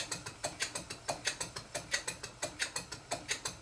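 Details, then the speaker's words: Stuart Twin Victoria miniature twin-cylinder steam engine, rebuilt kit from about 2014, still stiff and running in, after valve timing tweaks: steady ticking about 90 a minute with a slight knock, owner suspects connecting rod side slap. "there is still a slight knock and I think it's side slap on the connecting rods"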